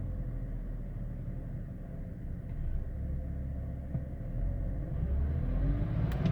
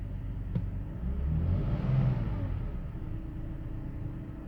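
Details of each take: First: 2005 BMW 530i with a low, uneven idle that surges and sags, recorded before the idle control valve was replaced; the faulty idle control valve is blamed. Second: 2005 BMW 530i after the idle control valve was replaced to cure a rough idle: the engine blips up briefly, then settles into a steady, even low idle with no stumbling or misses.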